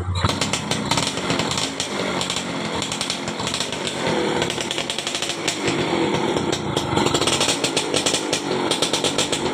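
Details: 2004 Yamaha F1ZR two-stroke after repairing a broken black ground (negative) wire that stopped the key switch from shutting the engine off; raspy buzz at steady fast idle, crisp and even, no misfires; running normally.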